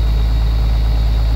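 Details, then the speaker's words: Thomas bus diesel with a newly fitted Bendix TuFlo 550 twin-cylinder air brake compressor, cold start from empty air tanks, at high idle: steady deep drone with even pumping, no knocks; builds air much faster than the old compressor. "it was never this fast with the old compressor never ever ever so yep so that's our new air brake compressor"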